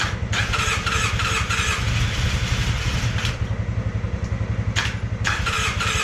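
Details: Polaris Sportsman 600 with almost no compression: slow, uneven chuffing about three pulses a second, cranking and nearly catching but not running; very low compression causing hard starting.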